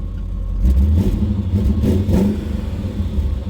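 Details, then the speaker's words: BMW E39 M5 Dinan S1 V8 with 340,000 miles, revved in place; loud, coarse rumble with a raspy, puffing exhaust leak, suspected to be a major hole. The engine idles smooth otherwise. "but you can hear it sounds for sure like an exhaust leak there's definitely um something leaking"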